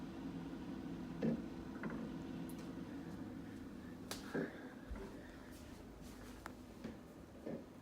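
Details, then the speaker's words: Samsung refrigerator with ice maker not working: steady hum with sharp, irregular knocks at the rear by the freezer; the freezer fan blade is striking built-up ice, and the noise stops with the door open. "all right so my refrigerator my freezer I should say is making this knocking noise really hear it when you go to the rear of the fridge by the freezer"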